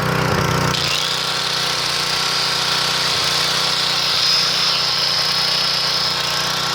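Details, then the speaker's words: 3000-watt portable generator, leaking oil, before carburetor replacement: buzzy engine drops speed then wavers, unable to govern itself because the carburetor is in bad shape, output only about 115 volts; hunting. "hear it struggling it can't seem to govern itself because the carburetors in such a bad shape"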